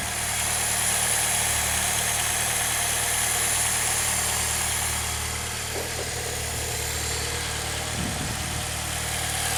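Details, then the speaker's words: 2006 Saab 9-3 idling on ramps before an oil change, no oil pressure light: steady, even idle with a smooth low hum and no knocks or misses; normal idle. "sounds good to me of course it's you know still on the ramps"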